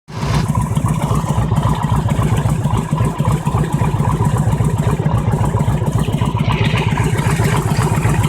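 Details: Hot Harley-Davidson V-twin engine idling unevenly with a regular knock, about four beats a second; the knock occurs when the engine is hot.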